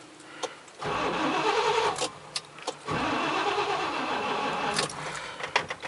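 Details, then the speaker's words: 1993 GMC Sierra 3500 pickup, front jacked up, wheels turned full left, ignition disabled at the distributor center wire, cranking to bleed a new hydro-boost: starter grinds in two sluggish, dragging, uneven bursts; slow cranking, owner suspects it needs a new battery. "sounds like I need a new battery too that should do it"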